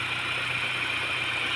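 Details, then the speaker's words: 2004 Honda Jazz GD, manual, running; even, steady idle with a constant hum, no misses, knocks or stumbles. Engine steady, no stumbling, and coolant is steady. Normal idle. "ตนี้ครับเครื่องนิ่งๆนะครับไม่สะดุดกับน้ำก็นิ่งๆเลยครับ"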